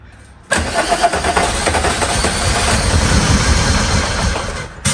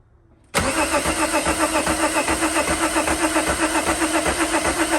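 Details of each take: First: VW Mk2 Jetta with swapped VR6 (originally turbo diesel), first start after fuel-injector troubleshooting, a replacement starter and a forgotten fuse-box plug reconnected; fires straight up and settles into a steady, even idle, run briefly since power steering isn't sorted; normal start and idle. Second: VW Mk2 Jetta with swapped VR6, cranking after a fuse fix restored rotation; starter spins the engine at a steady beat of nearly four per second but it never catches; crank no start.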